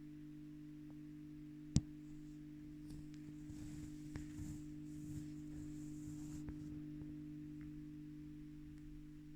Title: Blackstar silverline standard buzzing noise issue